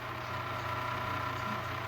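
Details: Steady motor hum with thin high whine on top from vintage appliance; bad bearings, no more oil; bearing noise.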